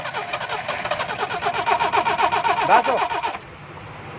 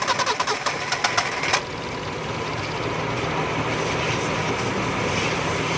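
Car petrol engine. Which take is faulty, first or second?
first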